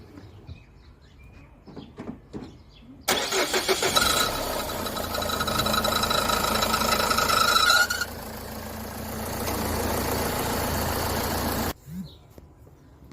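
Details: 2007 Renault Modus washer pump after replacing failed washer motor (Febi Bilstein 24633), test after refilling: electric whir with steady high tone starts abruptly, runs about eight seconds evenly, then stops; washer pump working normally.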